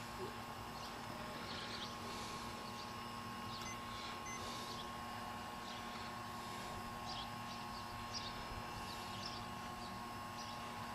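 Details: Air conditioner condenser fan motor energized but not spinning: faint steady electrical hum with no fan whoosh building; capacitor almost certainly bad, replaced along with the contactor (the contactor as preventive maintenance).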